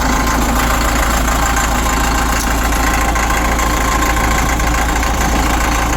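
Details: Cat 950 loader diesel, run after sitting about 15 years, water drained from fuel, old filter with water separator refitted, new 24V batteries. Steady, even idle at about 3.5 beats per second, low rumble, no misses; normal diesel idle.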